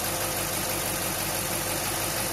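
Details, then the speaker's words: Willys truck hot rod first start after 12-month rebuild, cold day; idle settles quieter and even, running on all cylinders with no miss, knock or stuck injectors. "it's getting quieter sounds like it's running on all cylinders"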